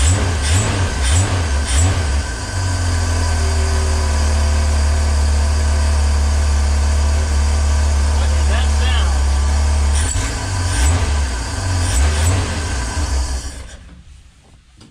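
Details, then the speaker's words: 1965 Ford Econoline van stored since 2011; engine idles and takes a few blips, then fades and quits after about thirteen seconds as the float bowl runs dry, confirming no fuel coming up from the tank. "oh did it just run dry [Music] yeah okay so that was just the float Bowl so we were correct and assuming that nothing was coming up from the tank"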